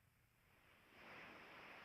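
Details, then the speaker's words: Large pressure leak on a scrap coil brazed shut and pumped up with nitrogen, heard through an ultrasonic leak detector's headphones: a soft hiss swells into a loud, steady high rush near the leak, distorting sound all around it. "that's what it sounds like with the headphones on it's such such a big leak that it uh it just distorts sound all around it"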